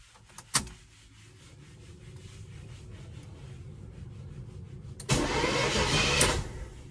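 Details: 1979 Camaro Rally Sport, 267 miles, V8 unstarted for about 46 years: a click, then an even whirring crank with quick regular beat and no binding; engine turns over freely, not seized, before firing on brake cleaner.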